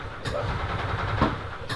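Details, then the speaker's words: 1991 EZ-GO Marathon gas golf cart, two-cylinder four-stroke, intermittent no-crank (solenoid clicks; suspect worn starter-generator brushes or bad solenoid): starter-generator spins engine briskly with strong steady low churning, no dragging or hesitation; normal cranking and start. "usually the brushes when they start to wear out the starter generator sometimes will crank slower than it should but this one sounds really strong there we go"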